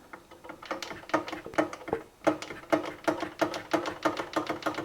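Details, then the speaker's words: 1980 Yamaha RD350 two-stroke that developed a knock while ridden: sharp metallic clunks, two or three a second, with each kick-over stroke; stator magnets look intact, bottom-end fault suspected, not confirmed. "that's definitely bottom end, that clunky noise."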